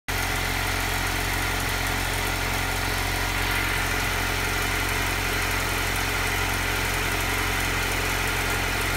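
Steady cold-start idle with a slightly uneven, lumpy pulse underneath the engine note; rough running from cold, cause not pinned down.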